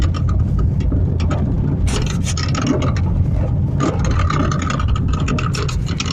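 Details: Honda Fit clunking over uneven pavement, irregular sharp clunks and knocks over road rumble; lower arm bushing, shock mount, tie rod end and stabilizer link already replaced, owner suspects steering column or a failed bearing.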